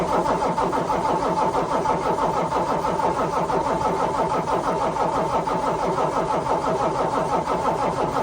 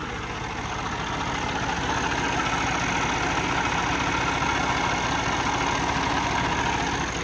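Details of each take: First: Truck that misfired, shut off and blew white smoke shortly after an oil change: the starter churns steadily at about three turns a second for ten seconds but the engine never catches. Cranks, won't start; cause unconfirmed. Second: Truck diesel restarted with starter fluid after misfiring, white smoke and no-start during an oil change (owner suspects flooding or low oil): steady idle with even clatter, three or four beats a second, no longer smoking, running healthy.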